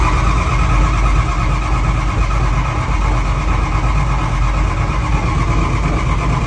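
Tractor engine cranking hard and catching unevenly, a heavy low rumble struggling to settle into a steady run; hard start, cause unclear.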